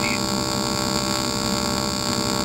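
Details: AC TIG welding of aluminum at about 100 amps (machine ranges up to 140), foot pedal, filler added to the puddle: constant, even buzzing hum with no crackle, pops or sputter; a smooth, stable arc.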